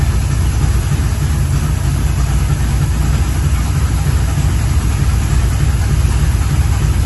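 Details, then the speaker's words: 1983 Chevrolet C10 square body, used 350 V8 with Edelbrock Performer RPM cam, new Holley 4150 750 carburetor replacing Quadrajet; mixture screws leaned half a turn for best vacuum: deep, steady, even idle, no misses or knocks, snappy, normal idle. "let me tell you guys this is a night and day difference this engine is Snappy like it's oh it it sounds good feels good"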